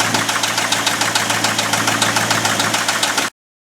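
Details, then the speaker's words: Abandoned 1989 Ford F250 5.8L V8 started on a new battery after fuel injector wire repair, never revved, throttle thought faulty: a sharp, regular, loud knock three or four times a second over the idle; an unhealthy engine knock, cause undetermined. "But that's a loud knock. Never revved it up. I think the throttle is done. Power underneath there. But that knock definitely doesn't sound healthy at all."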